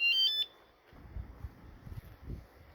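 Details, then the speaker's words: Phatmoto minibike with Coleman 98cc engine: quick high chirping beep burst from the tail-light/brake-light alarm confirming it is armed, then quiet handling. "it turns the alarm on."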